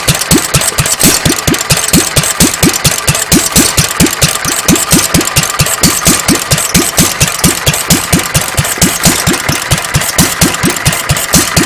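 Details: Petter A1 single-cylinder stationary engine with Wipac magneto, just timed without flywheel timing marks, running without exhaust fitted: steady thump about fifty-two beats a minute, even and strong with open exhaust bark; runs quite well.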